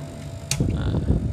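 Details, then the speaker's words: Custom-built 1000 W low-frequency inverter: its transformer gives a loud, steady mid-pitched hum with handling clunks because a roughly 1 A load was still connected. "Peni yang bunyi suara trafonya ya bunyinya keras banget hai oh iya Dek pantesan ini depannya masih ada bebannya Hye 1ampere"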